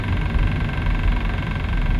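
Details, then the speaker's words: New Hyundai i40 CRDi diesel estate at steady idle: loud, deep droning vibration, some resonance inside the car whose source is not pinned down. "you hear that vibration that coming from do it of that red oh my God that is so annoying it's a brand new car it shouldn't be making noises like that"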